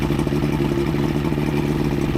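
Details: Outboard after head gasket replacement (prior overheat, head leaks), on water hookup: steady, even idle with regular low throb, no knocking or misfire; running cleanly, minor leaks noted.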